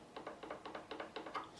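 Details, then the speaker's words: Tanglewood TW55D electro-acoustic guitar in for fret level and setup; a rocker tipped across the frets gives quiet light clicks about five or six a second, showing one fret sits higher than its neighbours: high fret. "because the problem is save this fret for instance I've got that area is high now just a previous PI can hear the rock yeah"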